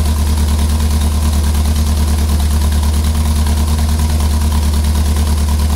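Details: Ford Pinto engine at a loud low idle with a steady stumble about three times a second and uneven exhaust pulses; cylinder misfire at idle.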